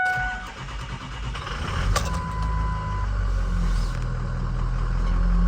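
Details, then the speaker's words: 2003 Ford Excursion Eddie Bauer, 6.0 turbo diesel, 153,901 miles, cold start. Cranks and catches, then settles into a low, steady clatter at idle with no misses or knocks; healthy cold start, runs smooth. "Low miles for the year. Runs smooth. 80 Bauer edition. Got a third row, two-tone leather. Engine sounds healthy, and the truck drives great."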